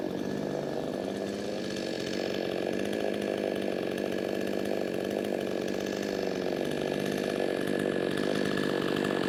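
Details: Brand-new, unbroken-in Wemars 6220 clone chainsaw, carb leaned slightly from very rich factory setting: high, steady two-stroke scream holding revs through the cut without bogging or surging; healthy, well-tuned saw cutting under load.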